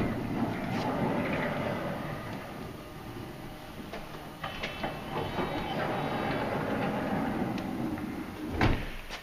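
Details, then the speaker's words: Honda Odyssey van power sliding door, first try after latch reinstalled during repair: motor runs, then a few loose clunks with no firm final catch. Latch not locking or releasing properly. "nope see something's not releasing in this latch it's not uh it's not locking or releasing properly"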